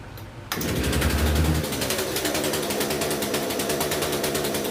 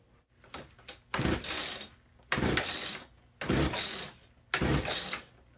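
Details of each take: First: Poulan P3314 chainsaw just after swapping in a China-made replacement carburetor for the original one: catches at once, flares briefly, then holds a steady buzzing idle with even firing; running properly, may need slight fine-tuning. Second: Poulan P3314 gas chainsaw fitted with a cheap China replacement carburetor in place of the original: rough bursts that catch and die between pulls, then an uneven pulsing run; poor running from the badly tuned aftermarket carb.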